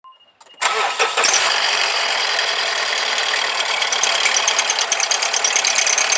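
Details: Mazda CX-5, dealer-maintained since new, belt previously snapped; engine cranks and catches, then settles into a hissy, rattling idle with an unusual high-pitched noise from the engine bay: abnormal engine noise.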